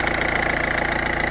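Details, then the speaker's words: Peugeot 207 1.5 HDi diesel idling after replacing a leaking injector seal, air filter refitted; steady even idle with regular firing beat and the former characteristic ticking/hissing gone; normal idle after repair. "et donc voilà, on l'entend plus le petit cheat."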